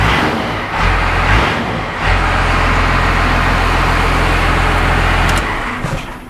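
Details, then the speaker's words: First-gen diesel just after installing a cam-driven HVLP lift pump, started without bleeding injectors: deep, steady diesel clatter at idle, slight stumble early as air purges from the fuel system, then settles into an even beat, no leaks; normal idle. "You could hear it getting a little air out of the system, kind of tripping a little bit, but then it caught right back up and it's going great."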